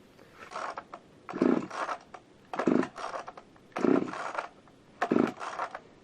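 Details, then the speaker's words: Husqvarna Rancher 55 chainsaw, unstarted for 2 months, about 5 degrees outside, full choke: four pull-cord strokes about a second apart, each with a brief sputter as it tries to catch; slower than the usual 4–5 pulls; started on the 7th pull. "Okay, so it's about 5 degrees outside, so it took a little bit longer than normal. It's usually about 4 or 5 pulls."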